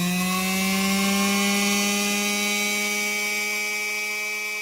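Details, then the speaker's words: Second Singer Featherweight sewing machine motor, run on the bench for power comparison against the revived motor; steady, smooth hum that settles slightly lower in pitch with no rattles, running normally but with a little less power. "this one actually has a little bit less power than the one that we just brought back to life this one fires up at even a higher RPM"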